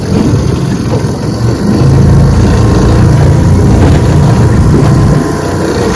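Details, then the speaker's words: Restored 1948 Johnson TD20 5 hp outboard on lake test, choppy water: steady low putter over wind, even and unhurried with no misses or knocks; starts well, healthy idle. "But she runs good. Starts out pretty good. Idles down really nice."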